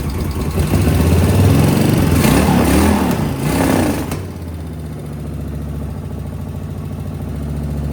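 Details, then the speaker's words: Suzuki VS1400 Intruder V-twin after priming fuel pump, both carbs full: engine blips then settles into steady even idle; both cylinders now firing, normal V-twin idle. "Oh, I think we're getting two. I think I'm hearing two cylinders started. Oh, listen to that. That's two cylinders."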